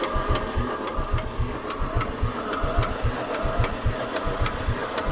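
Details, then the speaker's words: Mercedes 300D with 603 diesel, sat in a field three years with water in the fuel, fresh filter, battery and diesel fitted: slow cranking with a sharp regular loud clank each turn; owner suspects a stuck lifter, cause unconfirmed. "that sounds kind of weird yeah that little loud Clank there's a lifter is stuck needs to get ran through"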